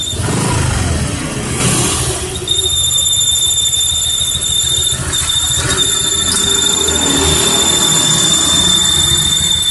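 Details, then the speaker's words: Honda Vario 125 ESP scooter at idle with a loud, steady high-pitched squeal that disappears when throttle is opened; cause is a hardened crankshaft oil seal, replaced with a new one. "Hai Vario 125 ESP bunyi saat gas langsam ketika gas ditarik bunyinya hilang"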